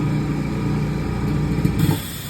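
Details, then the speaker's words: Eastwood QST 30/60 compressor after fitting a muffler to the air bleed line via 1/8" NPT to 1/16" barb; steady low motor hum with only soft bleed hiss, then winds down; quiet normal running. "So I'll give you guys an example of what it sounded like before the muffler. And this is what it sounds like now with the new muffler."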